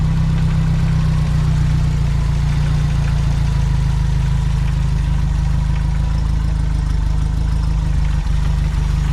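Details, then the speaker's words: Renault R8 engine idling after an oil change and head removal; a steady, slightly uneven, loose beat with no sharp knocks, and heavy blow-by passing out the rocker cover. A worn engine, not 100%, with no exhaust smoke. "so as you can see that blow by there I think it's an awful lot passing out the rocket cover so she's not a 100% engine"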